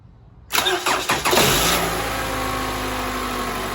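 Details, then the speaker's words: 2012 Toyota Camry 2.5L 2AR-FE after replacing the spring in the VVT-i intake cam gear to fix a cold-start rattle: brief crank, clean catch, smooth steady idle with no rattle. "All right. So, the car is running right now. So, you didn't hear that rattle."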